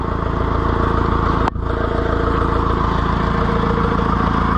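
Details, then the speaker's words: Oliver 1450 diesel tractor just after its first oil change in years, started with a boost: loud, steady chug about four beats a second, even firing, no smoke, good oil pressure; running better than before: normal running. "but I think little Freddy's running a lot better and I don't even smoke"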